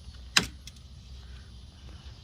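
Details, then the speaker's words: Chevy/GMC 5.3L with no-start/no-crank and U0100 code, key on, ECM plugged back in; a short sharp whir-click then faint hum as the throttle body cycles normally through its power-up self-test. "I'm gonna plug it in and you're gonna hear that noise."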